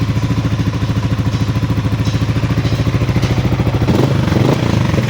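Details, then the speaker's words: Sniper 155 VVA single-cylinder after timing chain tensioner replacement: steady, even idle thump about three and a half beats per second, no cam chain tapping; engine sounds healthy. "So yan, goods nito ang kanyang sniper."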